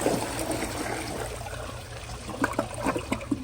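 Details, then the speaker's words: Glacier Bay PowerFlush vacuum-assisted toilet, bucket flush: water pours in, then gurgling pulses as the bowl siphons and clears properly. "and as you all can see it's siphoned so it's honestly very cool how these toilets work"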